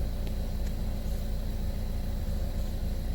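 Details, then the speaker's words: Buick Verano after replacing camshaft position actuator solenoid for P0013 (P0119 also cleared, new P0011 now shown): steady, even low idle rumble without knocks, misses or ticking; engine idling smoothly. "it sounds like it's running smooth."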